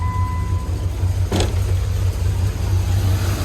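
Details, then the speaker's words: 2nd Gen Dodge 5.9 V8 truck, nearly new battery, air conditioning switched on while running: voltage at 10.5 V and quickly draining; rough, labouring idle with an uneven low beat as the load comes on; engine bogging from a failing alternator. "we're at 10.5 volts and quickly draining i don't know if you can hear but it's running like absolute garbage"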